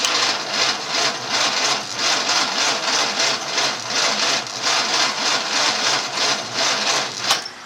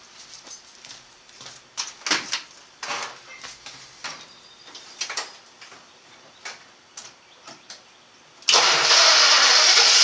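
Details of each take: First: 1954 Studebaker sedan, 6-volt system, 1964 259 V8 with 6V starter, cranked by remote switch before cable upgrade: laboured whirring crank with slow, uneven compression pulses every couple of seconds; starter starved by undersized battery cables. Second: 1954 Studebaker sedan, 6-volt system, after new larger-gauge battery cables; hot start after driving and a 15-minute heat soak (it used to barely crank hot): clicks, then it cranks fast and catches into a steady roar; normal hot start.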